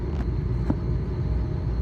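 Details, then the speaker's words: Three-phase scroll compressor on a walk-in cooler remodel at start-up, running in reverse from wrong phase sequence: a steady low drone, no pull-down, and suction pressure not falling. It is corrected by swapping any two supply legs. "so there it is running look at the pressures and listen to it so that's going backwards okay so that's going backwards so to correct your rotation on three phase all you have to do is"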